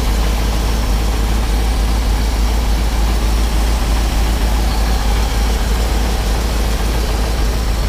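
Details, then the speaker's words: Ford F750 haul truck with stock engine, restarted before engine removal, won't run past idle: low, steady idle rumble, even beat, no knocks, ticks or misses; runs quiet and smooth at idle. "Sounds good. It does sound good. It runs real good."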